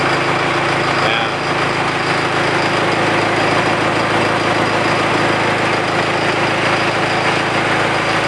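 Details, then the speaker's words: 68 Bronco with 4BT Cummins diesel at idle after new liquid-filled motor mounts: steady, even clatter with no shaking thumps. Idles smoothly; before, the mirror blurred from vibration even at idle. "and that mirror kind of tells the story right there because before even at idle this thing would vibrate so bad uh everything in this mirror was just a blur"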